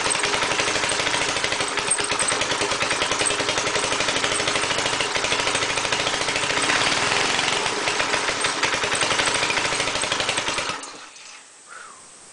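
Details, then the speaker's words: Air compressor small engine after head and valve work and an oil change, running with added gas: rough, hunting, uneven beat, then cuts out. Erratic running; governor or carburetor problem suspected, not confirmed. "there could be a problem with the governor cuz uh it's just like you can see what it's doing"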